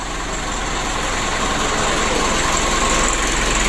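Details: Mitsubishi 120 PS Ragasa diesel, after injection pump repair, nozzle replacement and oil change for engine oil diluted with diesel fuel: steady, even tick-over, no misses or knocks, clean injection; normal idle.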